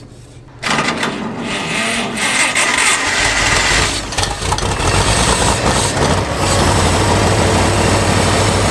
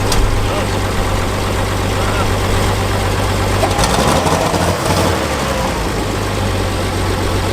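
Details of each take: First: Abandoned Farmall 460 tractor, water found in the fuel at the carburetor: engine catches and chugs unevenly, ragged firing with no steady idle; sediment bowl and carburetor to be drained and flushed of water and debris. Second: Abandoned Farmall 460 tractor after flushing rusty fuel system, carburetor still leaking and needing a kit: steady, even, quiet low idle with smooth beat and brief disturbance midway, good oil pressure; normal idle.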